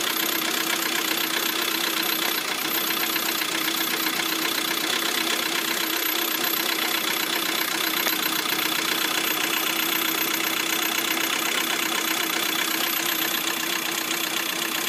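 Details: Lada Priora at idle: fast, light ticking about four per second from the hydraulic lifters in the valve train; after repair, two hydraulic lifters were found to have failed.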